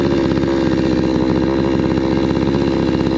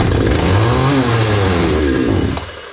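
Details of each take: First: Hyundai 650 chainsaw after repair of running then stalling, tested cutting wood: steady high buzzing rev without faltering, dropping and picking back up cleanly, no stalling; normal running. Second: Hyundai 650 chainsaw before repair: fires and runs a couple of seconds at a ragged, dropping pitch, then dies; insufficient fuel reaching the engine, owner checking for blockage.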